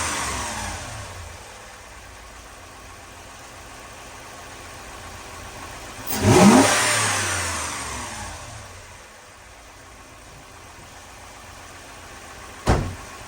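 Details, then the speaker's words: 2004 Lexus GX470 first start after reassembly, no coolant yet: one throttle blip, then a smooth, steady idle just under 1000 rpm with no stumble or misfire; normal idle. "she's idling really good doesn't sound like she's misfiring"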